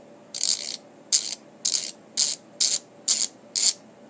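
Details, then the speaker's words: WPL 4x4 RC crawler rear axle with full metal upgrade kit, gears loose before screws are tightened: seven short, dry, high-pitched grinding rasps, one per hand twist, as the new gears are not yet meshed. "You can kind of hear that. It's grinding pretty good there, which is alright, because we got to mesh these anyway, right?"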